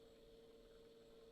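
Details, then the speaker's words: Edison Triumph phonograph, finished restoration, motor heard while switching between two- and four-minute modes; quiet steady mid-pitched hum with no drag or slowdown, only the switchover heard, normal. "listen to the motor sound when i switch there's no drag there should be no slowdown we have the same hum with both two and four listen all you hear is the switchover"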